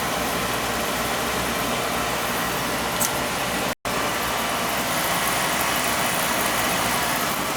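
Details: Oil-fired boiler with Tjernlund power venter: steady, even fan whoosh with burner roar beneath, no rattle or squeal; running normally.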